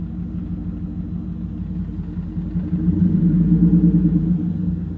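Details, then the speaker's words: BMW E46 turbo after a boost spike during a hard pull, oil cap off, smoke pouring out: even, soft, unloaded cranking at ~3 turns a second indicating low compression; owner suspects compression is blowing into the crankcase. "You can hear it on low compression. And then you'll see more smoke continuing to pour out."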